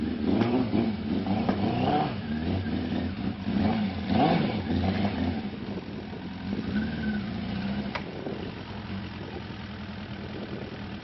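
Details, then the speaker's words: 2003 Suzuki GSX600, 11,100 original miles, stock except slip-on muffler, unregistered for 4 years, in a Maine winter; four-cylinder blips unevenly while being loaded on a trailer, skipping and popping through the exhaust; misfire, owner figured dirty carbs, not confirmed. "It's me loading it on the trailer, and you can hear it skipping and popping through the exhaust as I'm loading it."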